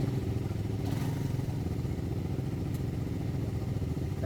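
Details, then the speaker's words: Motorcycle after timing and tensioner work: smooth even low idle hum without the earlier helicopter-like whirring noise; timing now okay, quiet and healthy. "Tahimik na nga. Wala na yung ano, ingay. Hindi na helicopter, boss, ah."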